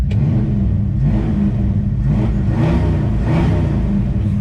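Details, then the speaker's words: 1965 Ford Fairlane 500, 57-year-old 289 V8 with new Holley Street Warrior 600 CFM electric-choke carburetor, after a drive: smooth even burble swelling cleanly on a few light blips and settling back, no misses or knocks; normal healthy revving. "that 289 V8 sounds really good."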